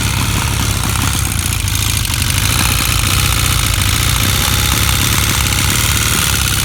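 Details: Honda CB 400 motorcycle at steady idle: fast, fine ticking over the exhaust beat; owner asks if it is engine ticking, source not pinned down.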